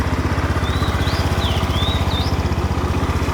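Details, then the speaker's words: 2011 Honda Scoopy i scooter with new tyres and fresh engine and gear oil: it starts easily and settles into a smooth, even low putter at steady idle, no knocks or rattles, birds nearby; no problems. "เดี๋ยวลองฟังเสียงเครื่องดูนะครับผมเดี๋ยสตาร์ดูครับก็ติดง่ายๆโอเคนะครับไม่มีปัญหา"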